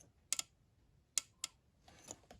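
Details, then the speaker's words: 2008 Arctic Cat M8 snowmobile fuel injector, removed and powered directly from a battery for flushing/cleaning: sharp quiet ticks in ones and pairs as power is applied, the injector clicking open normally. "you can hear that injector click don't know if it'll show up in the video but you can hear it click in"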